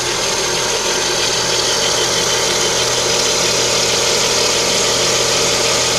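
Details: Lada Kalina with the 11194 engine at idle: a thin, constant high whistle over a steady idle from the front of the engine. Timing belt suspected, not confirmed.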